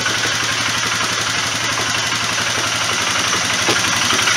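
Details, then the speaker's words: Polaris Sportsman 500 after replacing the troublesome CV carburetor with a slide carburetor: gruff single-cylinder beat holds a steady, even rhythm without stumbles or misses; normal running. "I just got it hang it up here for all and this thing really snorts once they start it up fire it up for you"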